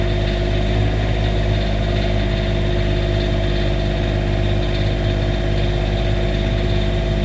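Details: Cummins Onan RV QD 8000 diesel generator on a Jayco Seneca RV, just after oil, oil filter, fuel filter and air filter service and fuel pump priming: steady even low drone, no knocks or misses while warming up; running normally.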